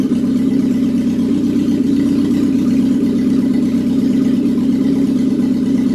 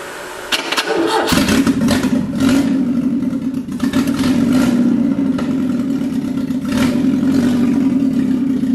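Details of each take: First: Classic Alfa Romeo with rebuilt Weber 40 DCOE 2 carburettors, after tightening the plate: even, steady idle hum with constant low tone, no hunting or misses; before idle speed/mixture adjustment and balancing; normal idle. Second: Classic Alfa Romeo with rebuilt Weber 40 DCOE 2 carburettors, new intake manifold gasket seals just fitted: catches after a short crank, then idles unevenly with dips and surges, keeps losing speed; rough running before tightening the plate and adjusting idle mixture.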